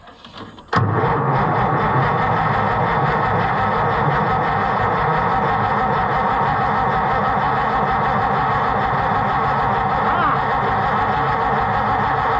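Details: White 2-70 gas tractor, long unrun, firing on brake cleaner sprayed into the carburettor as starting fluid, which the owner suspects is a rust ball. It fires with a sharp bang, then keeps a coarse uneven chug of about four beats a second that never smooths out.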